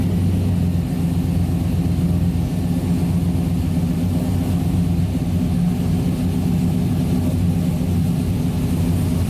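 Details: 1992 Toyota Land Cruiser FJ80 with swapped 6L L98 V8 and 6L80 transmission, first startup after conversion, tach and oil pressure gauge not yet working: deep steady rumble, even unbroken beat, no knocks or misses; smooth healthy normal idle.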